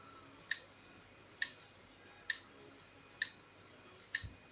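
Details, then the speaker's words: Laptop hard drive that clicks and is not detected; sharp, bright clicks about once a second as the head reaches the scratched, damaged platter area and can read no further. "вот начал набирать наш жёсткий диск и Как видите головка доходит до той до того места где царапины и там дальше уже ничего не читает"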